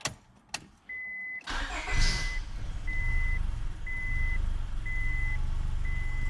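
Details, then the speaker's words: 2001 Honda Accord after new fuel tank, painted rear subframe, exhaust and motor mount refitted, fuel system primed: short chime, brief crank, engine catches into uneven sagging idle that still bogs; owner suspects ECU relearn after battery disconnect, maybe something else. "Well, it fired up. Let's see. See, it still bogs. See if it gets better."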